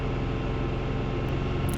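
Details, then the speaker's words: Canard experimental aircraft after ignition system maintenance, in-flight test from 1900 to 2760 RPM: deep, even engine drone holding steady with no rise-and-fall or hunting; earlier surging near 2500 RPM gone, running normally. "And the answer is no more surging."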